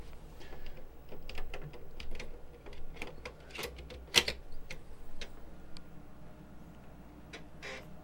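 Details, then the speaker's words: 35+ year old Amiga 1000 internal floppy drive booting Workbench: irregular bursts of dry ticking and clacking as the head seeks, read/write error; owner suspects the drive rails need lubricating. "So after trying to boot Workbench off my floppy, I've got a read-write error. So I think at this point what I need to do is actually lubricate that drive because it is having a little trouble with its motion."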